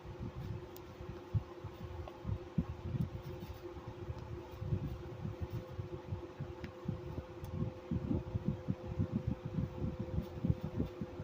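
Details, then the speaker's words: 1995 Chambers (Whirlpool) 5k BTU window AC, model BPAC0500AS2: steady fan rush with a faint, constant mid-pitched whine on top; extremely worn fan motor with shot bearings. "This fan motor is extremely wore out and the bearings are shot. So, it's a little bit little bit rally sometimes. Sometimes it sounds good. Today, it sounds pretty good."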